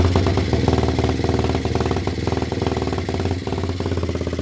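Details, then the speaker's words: Kawasaki Fury 125 single-cylinder motorcycle kick-started while testing CDI whose spark output is excessive/rapid: uneven, lumpy, popping running instead of clean idle; misfire blamed on faulty CDI. "hindi normal mga ka-idol yung andar niya. Palagpag po siya umandar. Hindi po normal yan o."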